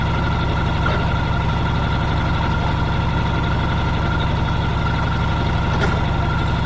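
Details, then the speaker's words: Old Caterpillar D6 dozer diesel, deep steady rumble with even firing beat, no knocks or misfires; idles cleanly, normal. "and uh yeah this thing runs pretty good"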